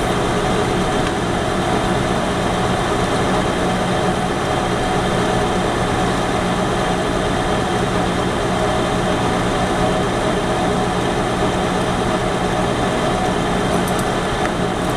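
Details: Lathe turning at 550 rpm, coarse feed of about 0.015 then 0.008 in per rev, 1 mm (0.040 in) depth on diameter, freshly ground unhoned right-hand HSS tool bit; steady spindle hum, constant cutting hiss; rough finish.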